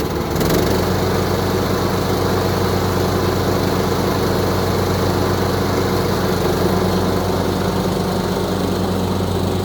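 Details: Craftsman YTS3000 lawn tractor small single-cylinder engine, given away as having rod knock but owner suspected valves needing adjustment, now running around after repair: smooth, even steady drone with no ticking or knocking; problem appears fixed, normal running.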